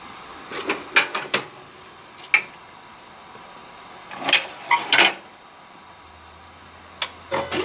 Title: HP LaserJet 1022 squeaking sound